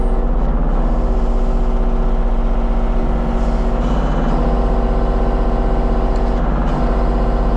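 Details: Kubota KX033-4 excavator, function check after 1000-hour service, outdoors on gravel, cold day: deep even diesel drone, steady throb, hydraulics working, no knocks or misses; normal running.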